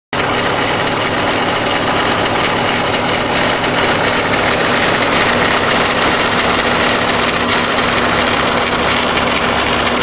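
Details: Subaru WRX idling with a loud, rough, steady grinding and faint hum from around the timing belt cover area on the passenger side; cause unknown.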